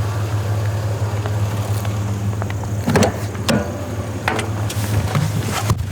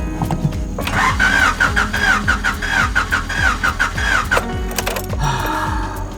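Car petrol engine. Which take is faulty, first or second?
second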